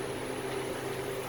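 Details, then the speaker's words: Walk-in freezer, Ke2 Therm evaporator controller, just after evaporator fan motors were replaced: steady, even hum with a constant airy rush, no vibration, wobble or rattle; new fans running properly and moving air. "You can clearly hear how much better they're running without vibrating and moving air like they're supposed to be."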